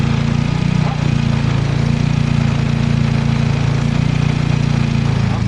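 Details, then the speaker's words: Turbocharged car with a P0507 high-idle check engine code; the owner suspects a vacuum leak from added turbo fittings. Spraying brake cleaner on a vacuum hose/tee gives a steady, slightly fast idle with a low even hum and a clear idle change. "You hear that? That Can you hear that? That right there I think is a significant change in idle, my friend."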